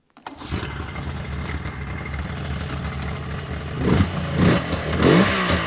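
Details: 1999 Yamaha Vmax 700 triple two-stroke snowmobile after checking the plugs (one dark, one white): catches and revs unevenly, stumbling and fouling on the low end before clearing to seemingly three cylinders but still not right; misfire.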